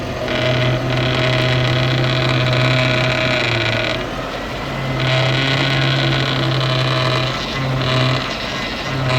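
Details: Mercedes W210 E420 power steering pump with a steady low groan and whine coming and going as the wheel is turned with the engine cold; fluid level OK but fluid looks bad. Power steering pump noise.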